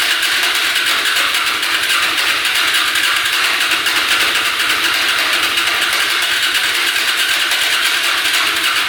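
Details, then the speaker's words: Hyosung Aquila 250 motorcycle: continuous even cranking with no firing; engine flooded, huge puddle of gas by the exhaust pipe, traced to gas dripping into the manifold via the pump line. "Alright, definitely flooding out. Don't know why that would be, but there's a huge puddle of gas right by the pipe."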